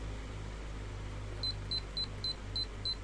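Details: Miyako 18-inch remote-control fan after servicing the remote control module: seven short, high, evenly spaced beeps over a steady low fan hum as the timer is set. The timer responds normally.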